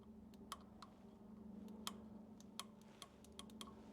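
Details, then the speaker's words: Super M tractor that hasn't been started in a while, ignition on and battery power present, engine not running: thin, irregular snapping ticks of spark in a quiet setting; spark present but weak, battery voltage to be checked with a meter. "I hear it but it is weak I do not even looks like a pretty weak spark"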